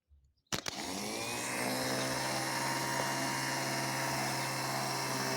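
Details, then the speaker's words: Car starter from 2001 bench-tested on 12 V battery with jumper cables, solenoid working: steady high whir and rattle spinning free; under wood-block load it stops rotating, fault in the armature shaft, which can be replaced. "as you can see as I place the wood block the B stop rotating indicating that this St will not turn to F causing a car to not start the component causing this failure is the am shaft which can be replaced"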